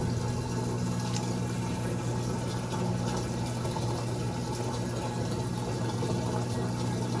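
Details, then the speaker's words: Amana washer NTW4516FW1 in diagnostic mode, final drain and spin: steady low hum with pump whir and rushing water, no grinding. "Final, now it's going to do a spin and drain."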